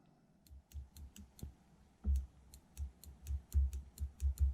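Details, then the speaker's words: 1984 BMW K100 throttle body throttle position switch, removed after the meter showed nothing and suspected maladjusted: crisp clicks at irregular intervals as the throttle is worked, switching normally. "I don't think it was adjusted properly. So looks like it is working."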